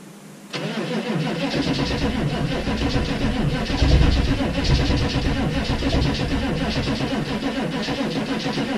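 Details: 6.5 turbo diesel cold start at -15°F: a steady rapid cranking churn labours on but never catches. It cranks but won't start with drained batteries; the owner believes it ran off one battery because the other had a poor connection.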